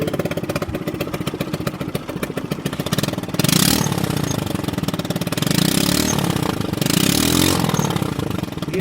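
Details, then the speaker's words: 2020 Chinese 50cc scooter with a shop-installed 80cc big bore kit, suspected poorly done: harsh, rapid popping run swelling loud on each throttle blip, sounding like a 250cc; excessively loud running, cause not confirmed. "But I'm going to crank this up, and it sounds like, it's so loud, it sounds like a 250cc."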